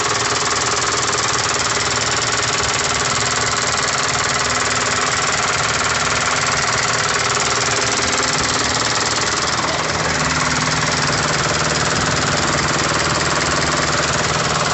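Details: Isuzu 4KH1 diesel that had a no-start complaint: busy clatter at an even, steady rate of about four beats a second, holding speed without misses; the engine is running normally.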